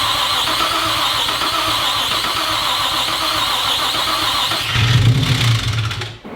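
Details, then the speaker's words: Rebuilt junkyard Nissan 350Z engine, first start after reinstall: harsh raspy metallic valvetrain clatter as it catches and revs, then shut off; owner suspects no oil built up to the cam gears/VVT solenoids, not a knock. "That sounded bad, didn't it? It sounded really bad. Oh no! I'm wondering if it's just because there's no oil up built Yeah. into the cam gears."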